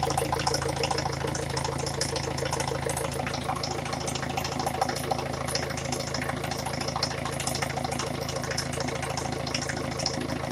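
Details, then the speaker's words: Peugeot 307 1.6 HDi diesel idling, just reassembled: steady low drone with a sharp, fairly regular knock on top from a knocking piston. "добрый день значит собрали ласточку пока так значит хочу показать что поршень стучит не знаю надеюсь будет слышно заводим"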